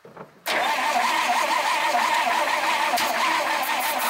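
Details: 1951 Dodge flathead six, not started in 32 years, with new plugs, plug wires and ignition coil: starter whines and turns it over steadily about four seconds without firing; owner suspects sticking points; not confirmed.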